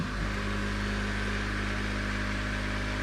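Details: Trolling motor on a 1972 Glasspar boat, low speed on 12-volt setting around 1454–1460 rpm: steady even hum with constant tone, no roughness or surges, running normally.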